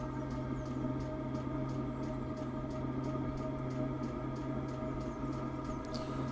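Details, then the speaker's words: Chinese diesel heater with a 6-metre extended exhaust feeding a DIY sand battery, firing again after a suspected soot blockage. Steady low hum with a light fuel-pump tick about three per second, burning evenly; normal running. "right I'm going to let this run that's that's firing now so that worked happy days"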